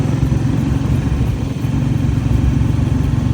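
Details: Sailboat diesel engine on second flushing run after seawater hydrolock, suspected caused by a nest blocking it up: steady low clatter at even idle, no misses or stumbles, running smoothly.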